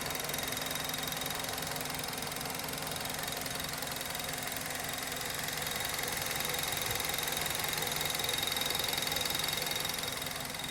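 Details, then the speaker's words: 2010 Mazda 3 2.5 L engine at steady idle with a fast, light, even ticking about three per second; the source is unknown and the owner hopes it isn't valve-related. "2010 Mazda 3 2.5 liter. Ticking noise. What is it?"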